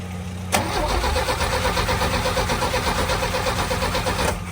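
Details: 1966 Chevrolet C10: starter spins the engine at an uneven chug about three turns a second but never fires; no fuel seen squirting into the carburetor; crank no start, cause suspected, not confirmed.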